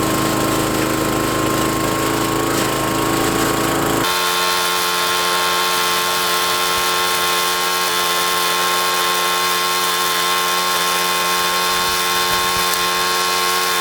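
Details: Trac Vac leaf vacuum blower unit after repair, front guard and hose refitted: after start-up settles into a steady even high drone from engine and fan, no surging or rattles; normal running.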